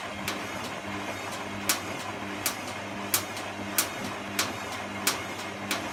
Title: Clicking noise